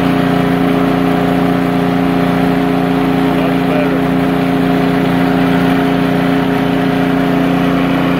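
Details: Poulan Pro snowblower that surged at idle, after tightening loose nuts: a steady, even drone at constant pitch with no hunting or surging. Normal, smooth idle.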